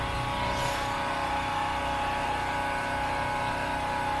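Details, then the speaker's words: Champion 3650W generator running: a loud, even drone with a steady whine at constant speed, running smoothly with no load. "Or if you're not using all of its capability, it powers down so that you don't burn as much fuel. It's very quiet."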